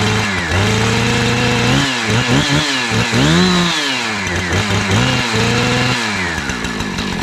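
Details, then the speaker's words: 2-stroke chainsaw after replacing a fuel line that had rotted in half, oiler still faulty: sharp buzz revving cleanly up and back to idle without bogging or cutting out; normal running. "so I'm just wanting to put fuel in this make sure it won't leak hold fuel start it up make sure it runs and then we'll work on the oiler at another time"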